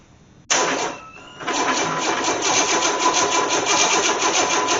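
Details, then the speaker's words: Engine from a 1984 Corvette, unrun for nearly 20 years and out of the car, cranked via jumper wire to the distributor with fuel poured down the throttle bodies: fast even starter whir, uneven chuffing, strong compression rocking the engine, never fires; cranks but no start. "I'm just turning it over is making this engine jump I don't know this is necessarily really a good idea"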